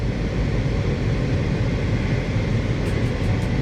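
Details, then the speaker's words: 2015 Honda Civic heater/AC blower fan after fix: previously thumped or vibrated with fan on, blower assembly checked for debris and reinstalled; now smooth, even low rumble with engine running, no rattle, flutter or rubbing, nice and quiet. Normal blower operation. "let's turn the vehicle on here we go nice and quiet"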